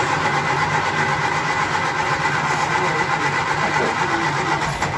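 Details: 1967 Triumph Spitfire Mk II after the faulty fuel pump was bypassed or replaced: the small four-cylinder catches and settles into a fairly even, quick patter with no misses or knocks. The spark plug looks a little dark. Normal running.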